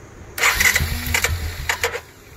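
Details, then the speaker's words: 2012 Suzuki King Quad LT-A400F single cranking under two seconds with even chugs but never catching; rebuilt All Balls fuel pump makes only 16–18 psi against the 43±2 psi required. "the pump won't do it and 18 psi is the best that i've got"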